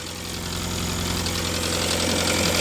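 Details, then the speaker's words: Rear distributor on a 1954 Renault 4CV, idling: an electrical ticking as plug lead number 3 arcs across to the distributor body. This explains the occasional momentary misfires; new HT leads needed. "there was a spark jumping from the lead across to the body of the distributor. So I need to get a new set of leads on here. But that's great, because that is why occasionally we get just a momentary misfire."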